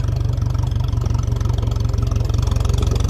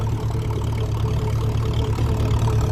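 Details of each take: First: 1957 Ferguson 35 TVO tractor on an uphill road, revs let off so the engine labours: pulling hard at low revs with an uneven, sagging beat slow to recover; governor lazy but working to a certain extent. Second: 1957 Ferguson 35 TVO tractor climbing hills, engine labouring, temperature around 80: steady, low, even exhaust beat with no knocks or misses; running sweet, sounding vintage and healthy.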